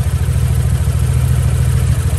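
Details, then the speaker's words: MG ZR with a running problem: unplugging one coil pack (feeds two cylinders) stops it, unplugging the other changes little; deep, lumpy, uneven idle like a cylinder missing; misfire, coil pack suspected. "now if you unplug this coil pack [Music] it doesn't really change much and it carries on running"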